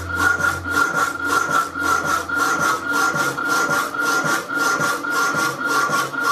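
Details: Rapidor power hacksaw with newly working damper lifting the blade on the backstroke: even cutting strokes at about 109 a minute with a quiet return stroke each time; cutting smoothly and properly.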